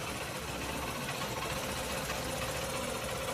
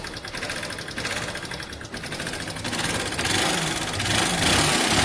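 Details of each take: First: Old-model Honda Shine after replacing the whole engine (old one had bad crank, bearing and connecting rod knocking): starts on first press, fast light even idle with no knock; normal idle. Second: Old-model Honda Shine motorcycle that won't pick up but doesn't smoke. Loud, rough mechanical clatter at about three to four knocks a second over an uneven idle. Connecting rod and crank bearing knock.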